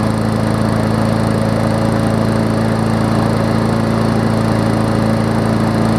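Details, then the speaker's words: Newer Murray push mower with a Briggs engine, after fixing oil in the gas and water in the oil, warm after about 15 minutes of running: smooth, even single-cylinder drone with old oil still baking off. Normal running. "just kidding just kidding runs really good so let's end this before i get dumped on by rain hopefully it does not you hear a little bit of that old oil still baking in there"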